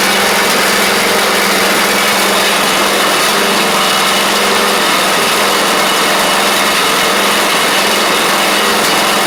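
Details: Troy-Bilt Pony riding mower, first start of the replacement engine on fresh gas after the seized original was swapped out: steady, even buzz at fixed speed, no knocks, misses or surging; runs smoothly and sounds healthy, though smoky.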